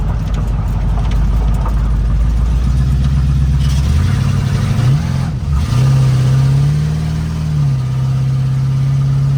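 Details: Chevrolet El Camino V8 idling after new spark plug wires, alternator charging 14.5 V, a couple of exhaust leaks audible; steady even burble with a couple of smooth blips settling back; normal healthy idle.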